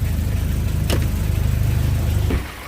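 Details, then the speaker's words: Audi A4 1.8 that came in with a misfire, after replacing the dead spark plug with a BMW plug: steady, even low idle pulses with no stumble, then the engine shuts off; misfire gone, normal idle. "Alhamdulillah setelah kita ganti busi ya ee fir-nya hilang."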